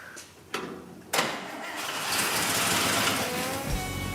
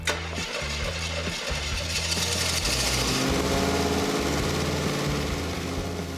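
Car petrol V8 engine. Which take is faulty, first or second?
second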